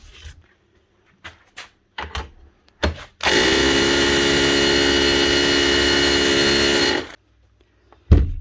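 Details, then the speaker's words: 20-year-old Makita HR2450 SDS hammer drill after repair of a burnt-out motor and cleaning: smooth, even hammering chatter for about four seconds with no rasp or stutter, running like new. "Listen to that. Still sounding smooth and still hammering like she should like a new machine."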